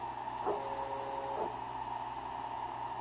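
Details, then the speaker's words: Motherboard bench test with the X stepper motor connected and jogged in reverse: a steady electronic hum with a clean whir and no skipping or grinding, so the motor and driver are good. "Turn it on, and so X motors, and go reverse. It's good."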